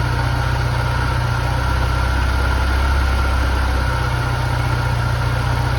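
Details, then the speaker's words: Porsche 968 cabriolet, flood-damaged, first start after sitting, on jumper pack with a weak battery: steady smooth idle hum with no misses, knocks or rattles; runs and sounds good, though afterwards it doesn't appear to be charging. "she runs phenomenal and she sounds good"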